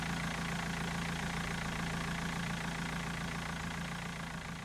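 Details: BMW M47 diesel idling with the accessory belts removed to isolate a noise: steady, even clatter with a smooth rhythm and no knock; sounds good, a normal idle.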